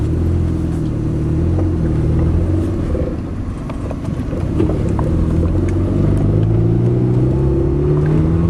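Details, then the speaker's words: Kia with a carburetor lacking an accelerator pump, at half throttle: steady low drone whose pitch climbs slowly; starts easily, idles well and revs freely, but lacks power under load, taking half a mile to reach 55 mph. Owner suspects the carburetor. "Starts right up just like a normal car. Tony, if you can zoom in on the... I mean, it revs right up. Very responsive. But when I put it under a load, it just doesn't seem like it has much power."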